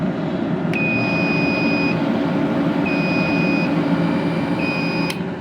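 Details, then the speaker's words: Everlast W375 TIG water cooler running with a 256si welder, refilled with red ELC coolant and fitted with an added filter: a loud, steady fan rush with a few short high beeps. A normal, just noisy, cooler fan. "wow. Okay, that cooler is kind of loud. And I mean, unfortunately the welder is loud too."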